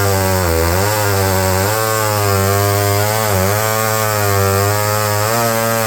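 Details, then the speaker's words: Almost 60-year-old McCulloch 510E electric-start 70cc two-stroke chainsaw after revival: strong steady howl that dips and recovers as the chain bites into wood; runs fine under cutting load, though it flooded out afterward. "it cuts the thing's almost 60 years old but it ran fine in there"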